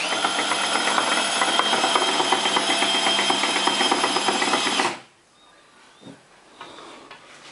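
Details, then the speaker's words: Suzuki Swift GTI gearbox, just reassembled and spun by hand without oil, gives a rapid, bright rattling whirr that stops abruptly around five seconds; strange noise from below, cause unknown, owner unsure if normal. "terminamos de armar la caja y ahora la estamos haciendo girar obviamente sin aceite y hace un [Música] [Aplausos] ruido el ruido por acá abajo no sé si es"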